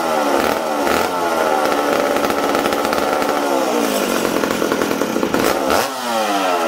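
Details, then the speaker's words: McCulloch Super Pro 70 chainsaw reassembled after a fuel tank repair, run indoors; low-speed jet 1.25–1.5 turns out, tuned for −20°: loud, labouring, speed sagging and surging unevenly. The mixture is too rich for indoor running. "this thing's too rich for being inside right now"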